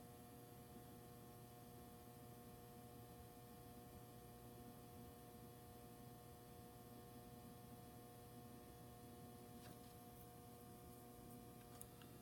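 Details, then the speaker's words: Robbins & Myers ceiling fan at night with its light switched on: a quiet, steady electrical hum with a thin buzz on top. The buzz is assumed to come from the lights, not confirmed. "Here's the that buzzing noise, I assume is from the lights."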